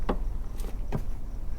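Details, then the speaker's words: Mazda Miata clutch pedal after replacing pedal bushings and rubber stops to cure squeaking: only a few soft, dull clicks as the pedal moves, no squeak or creak. "you hear that bring in nothing this thing's gonna be like a brand new car"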